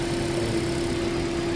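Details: Toyota Prius repaired for heat warning, misfire and coolant loss, warm idle around 86–91° coolant, fan off, thermostat opened on time: smooth, even steady low hum, no knocks or misses; engine healthy.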